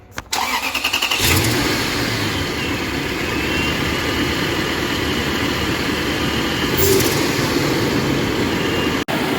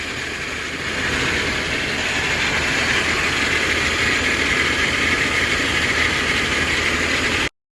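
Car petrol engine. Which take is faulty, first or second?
second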